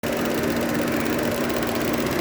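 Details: Opel 1.4 turbo petrol (Mokka) at idle: a loud, fast, even ticking like a sewing machine over a steady idle, from the EVAP canister purge valve clicking on the intake side.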